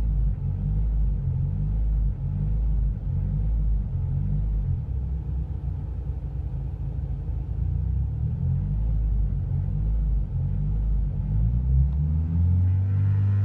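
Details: Renault Clio 172 at light, steady throttle between 1000 and 2000 rpm: low, uneven rumble that swells and sags as the rpm needle jumps around; suspected misfire, cause unconfirmed.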